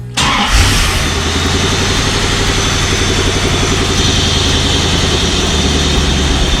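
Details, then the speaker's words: 1995 Chevrolet Corvette C4 with LT1 engine after performance Opti Spark distributor replacement: quick crank catches at once, short rev, then settles into smooth steady idle with no stumble or miss; scan tool shows the high-res code is gone, problem fixed. "We're looking at this here. Yeah, that's fixed the problem. We don't get the uh high-res code."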